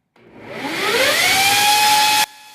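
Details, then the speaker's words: 2x48 belt grinder attachment driven by a bench grinder motor, ground with heavy pressure: whine climbs and settles to a steady high tone under grinding hiss, the motor slowing only slightly without bogging; normal running under load. "all right so I was I was grinding pretty hard putting a lot of pressure on it you hear the motor slowing just a little bit but it maintains the speed really well doesn't bog down very much"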